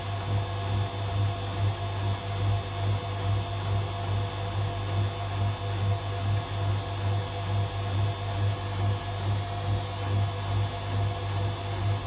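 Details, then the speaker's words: Hotpoint Aquarius WMA37 washing machine, fault unknown, on a test spin. Steady low hum with even light knocking about twice a second as the drum turns. Something loose is rattling in the drum; owner suspects plaster, as bits of glass and straw were found inside. "you could hear they're actually a bit of um something coming on struck with the drum but I actually think that's plaster"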